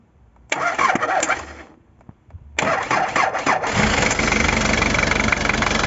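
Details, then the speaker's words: London taxi (English taxi) diesel started after seven years off the road, following manual glow-plug preheating: a few cranking turns, then it catches and settles into a steady, even idle clatter; runs reasonably well, oil change next. "voilà pour intoxiquer en panne depuis sept ans il tourne pour l'instant pas si mal"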